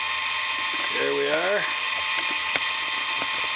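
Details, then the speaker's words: Steady high grinding whine with ratchet clicks as the indexing pawl advances tooth by tooth. This homemade automatic bandsaw blade sharpener, driven by a 16 rpm DC motor with an improved cam, is grinding an old welded, Dremel-sharpened blade in a normal cycle. "if you want to know some specifics the little DC motor in here is a 16 rpm"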